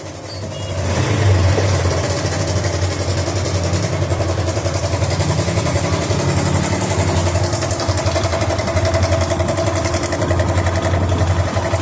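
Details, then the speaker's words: Bike engine at idle with a fast, even metallic chatter, about 220 a minute. This is a loose timing chain; the main problem is the tensioner/adjuster, fixed by timing chain change and tappet adjustment. "বাইকের শব্দটা আপনারা নিজে খেয়াল করলেই বুঝতে পারবেন যে সাউন্ডটা খুব একটা ভালো হচ্ছে না, একটা বাজে একটা সাউন্ড আসতেছে।"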